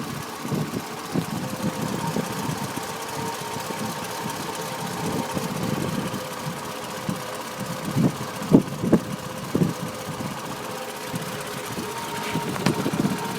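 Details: Toyota Camry at idle: quiet idle with uneven thumps and surges a few times a second instead of a smooth beat; rough idle.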